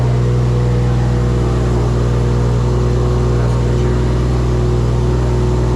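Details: First start of a freshly wired engine with an LS alternator kit: steady, even drone with a constant low hum and no knocks or misses, running smoothly. Charging voltage reads far too high and is not regulating; owner wonders if the alternator is overspun.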